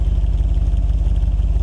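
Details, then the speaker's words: Jeep Grand Cherokee SRT8 (WK1) at cold idle after a Magnaflow muffler install: deep, even, steady burble with no blowing or ticking; normal exhaust note. "I can live with that it doesn't sound too bad"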